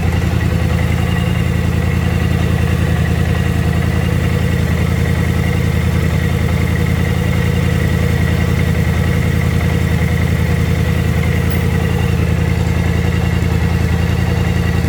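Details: BMW C650 scooter (Kymco-built engine), 37,000 km, GPR exhaust: deep steady exhaust drone through revving and idle with no CVT rattle after a Malossi Multivar was installed to fix the earlier rattle. The main shaft still has slight end play.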